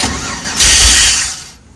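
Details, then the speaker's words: LS-swapped (6L) Unimog 404 parked about half a year, left in gear, cranking fast but not firing; fuel heard running in the rail sounding like air in it, likely low on gas; cranks but won't start. "Like I can hear it, the fuel running in the rail, and it sounds like it's got air in it."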